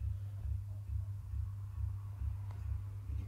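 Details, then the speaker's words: Central heating system with failed three-port valve motor, radiators cold but hot water working: circulating pump hum pulsing about twice a second with dull knocks and banging instead of running steady; pump failing, to be replaced. "here the pump's sort of pulsing and there's a banging noise so we're going to swap the pump as well"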